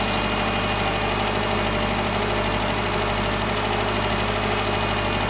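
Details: 2010 Subaru Forester non-turbo after repair of a timing belt broken at 8000 miles and engine reinstall, first run: smooth, steady low idle with an even beat, no ticking, knocking or misses; engine running healthy.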